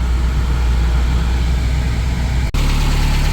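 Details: Porsche 924 Turbo idling: deep steady low rumble with no squeal left once warm; owner says a too-thin accessory belt slips and squeals when cold until the engine warms up. Engine idling normally.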